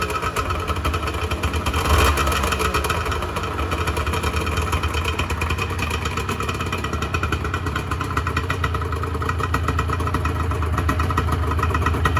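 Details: 1986 Honda NS400R 400cc two-stroke triple shortly after first start in 11 months; crackles at a fast, raspy idle with a quick early blip, picks up cleanly; healthy, oil light on (owner suspects oil level sensor connection).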